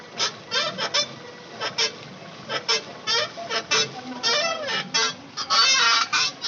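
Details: Maruti Suzuki: short honking squeaks and groans in uneven bursts when the steering is turned to full lock either way, heard on rough and smooth roads alike; cause not pinned down.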